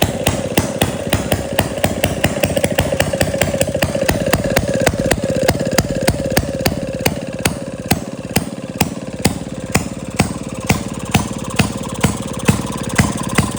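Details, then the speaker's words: 1937 Maytag Model 92 single-cylinder two-stroke after cleaning gas tank and mixer and fitting new spark plug: crisp steady pops two to three a second with light clatter between; running smoothly. "It runs and it runs really well. It uh it didn't fight me at all."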